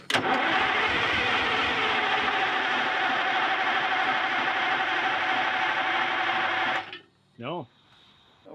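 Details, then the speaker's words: 1979 GMC Astro cabover, 8V92 2-stroke Detroit diesel that sat 7 years: a strong, even cranking drone of about three pulses a second that never catches; fuel lines are dry despite a full filter, and the owner suspects the fuel pump is shot. "obviously not getting fuel i think i think it'll run it sounds healthy enough when we're cranking it over all these lines are dry"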